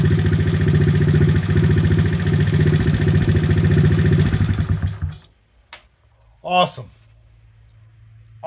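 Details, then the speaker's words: 1970 Honda CT70 Trail 70 after piston, cylinder and timing chain rebuild and a carburetor adjustment: small single thumps at a quick, even idle for about five seconds, then shut off; healthy, no misses, no smoke, no leaks. "give it a little bit of a carburetor adjustment now sounded pretty good no smoke"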